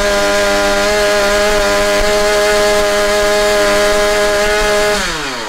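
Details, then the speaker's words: Husqvarna 345 chainsaw after diaphragm replacement and slight carb adjustment revs high, then hangs and sags slowly on throttle release. It is suspected to be getting too much fuel, so the carb needs further tuning. "Także wymiana tych membran, jeszcze lekka regulacja gaźnika i myślę, że można by to jeszcze dopieścić bardziej, bo słyszeliście, że ona przy zejściu z obrotów troszeczkę to obroty jeszcze utrzymuje."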